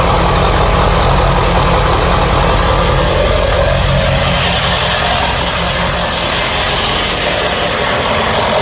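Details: 1995 Ford E350 van, 7.3 Powerstroke diesel, at startup idle: loose, uneven rattle over the low engine rumble; it randomly goes away, disappears when driving, and returns only at idle and certain rpm; cause unknown.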